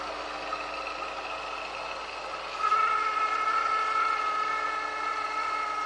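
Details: Honda S2000 engine bay: thin whirring whine over quiet idle that rises louder and higher with rpm, plus grinding; serpentine belt suspected, but replacing auto tensioner and pulley did not cure it; source unknown.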